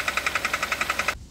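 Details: Kia Cerato 1.6 automatic on a lift: sharp, even knocking about ten per second from the engine area in drive, stopping abruptly, persisting after a timing chain, tensioner and guide replacement; caused by a cracked flexplate, not the engine.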